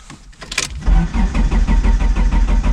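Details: 1999 Dodge Neon with swapped 2.4 turbo SRT-4 engine, out of storage: steady cranking about six even pulses a second, never fires; crank no start, out of fuel, though they suspected spark or coil.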